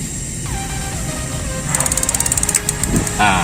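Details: Gas water heater after repair with water tap opened before gas: quick run of sharp, even ticks for about a second, then the burner catches; spark igniter working normally.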